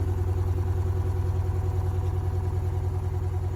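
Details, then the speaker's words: Top-load washing machine on spin after repair; suspension shocks had been replaced and one faulty, over-vibrating shock was then fixed: steady low smooth drone with no knocking or banging; normal spin cycle. "นี่ก็จะเป็นหลังจากที่เราแก้ไขงานให้ลูกค้าแล้วนะครับ"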